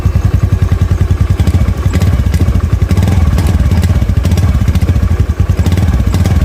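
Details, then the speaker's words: Honda Beat FI scooter with an unstable idle, after spark plug replacement and before a repeat ECM reset: lumpy, stuttering and bogging with irregular thumps when the throttle is snapped open instead of picking up cleanly; hesitation on snap throttle. "bisa terdengar di sini dia masih belum mau ya di gas spontan ya 3 spontan dia masih belum mau dia masih melebuk ya"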